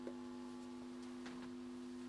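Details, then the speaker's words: TDA2030 stereo amplifier kit, freshly built, powered up with no input signal and volume turned right up: steady low buzzing mains hum through the speakers, even and unchanging. "um a little bit of a main song when I turn it right up"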